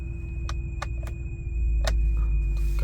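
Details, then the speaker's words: 2004 BMW 7 Series 3600cc petrol V8 at idle, also long-cranking on mornings: low idle rumble with irregular ticks, a slight misfire, traced to failing ignition coils. "गाड़ी को करते हैं हम start start हो गई हल्की सी miss फेरिंग है इस गाड़ी के"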